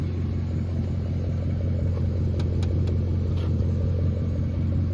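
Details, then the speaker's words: 2002 Mercedes CLK430 V8, about 170,000 miles, sat for a couple years and would not start, now fixed, straight piped all the way back: deep, steady rumble with even burble, no knocks or misses; healthy idle. "it sounds good. Straight piped all the way to the back."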